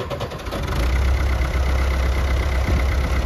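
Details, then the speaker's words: Old Oliver tractor, exact model unknown, about 50–60 hp, hours unknown: a low, steady idle with an even rumble and no knocks or misses; it sounds good, though the owner later notes an alternator noise. "sounds good show us what it'll do"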